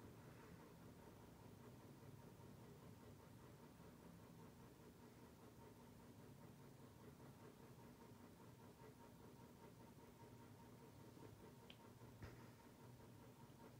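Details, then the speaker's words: NuTone Hug-The-Ceiling 52-inch white hugger ceiling fan with spotlight kit, on low speed: a soft, steady whoosh with no hum, clicking or wobble; it runs quietly. "i say it is a pretty quiet fan on the low speed a lot of huggers tend to be noisy on a low speed"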